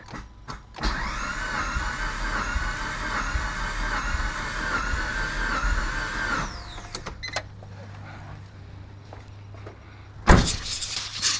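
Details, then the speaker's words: Mitsubishi Evo compression test, cranking cylinders 4, 3 and 2: even, steady whir showing good 160 psi compression on each, while cylinder 1 has zero; normal cranking with good compression. "Alright, so cylinder 4, 3, 2 all have good compression at 160 psi."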